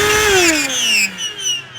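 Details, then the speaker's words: Bissell Cleanview Helix 82H1 vacuum (curb find) run for teardown: very loud high screech falling steadily in pitch as the motor winds down after switch-off, harsh rough whine; loud screeching motor, likely worn bearings. "yeah that probably blew your speakers out or headphones"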